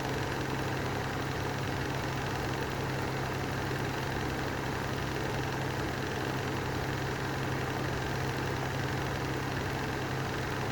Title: Lanson style 3 exhaust fan with bad bearings